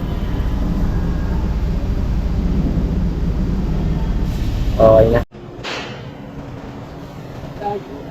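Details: 2007 Jeep diesel after replacing the glow plug module for hard starting: low, steady rumble runs evenly about five seconds with no stumbling or misfire, then goes quiet; normal running.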